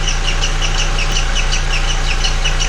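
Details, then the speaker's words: MK4 VW Golf at idle, accessory belt removed and timing cover off, water pump recently replaced: a sharp chirping squeak about every quarter second, matching cam gear rotation. Owner suspects the timing belt and plans a new timing belt kit. "okay great it's making a noise but i really can't tell where it's coming from but if you look closely the frequency of the squeak matches the frequency of the rotation of the cam gear"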